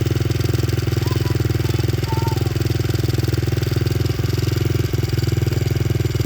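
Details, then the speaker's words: Honda XR70 with freshly installed TB 88cc big bore kit and Hotcams cam chain, first start on first kick: crisp even single-cylinder thump about three and a half beats a second, no knocks or rattles; healthy idle. "And I'm really happy about that. It started up first kick, no problem at all."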